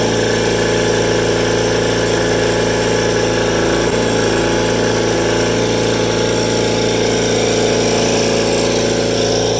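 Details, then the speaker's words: Rare factory-built Cub Cadet garden tractor with a twin at wide-open throttle, governed at 3600 rpm: even, steady drone with no misses or knocks; normal, healthy running. "so doesn't skip a beat an interesting thing to note about this is that for whatever reason cupcadet governed these engines at uh 3600 rpm wide open"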